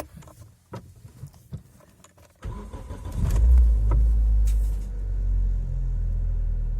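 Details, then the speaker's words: Geely CK after addressing a failed mount that let vibration into the body; engine cranks, catches, settles into steady even low idle, no knocking, only faint residual body vibration; normal idle. "помогло конечно какие-то вибрации еще идут по кузову но такого уже нету как было"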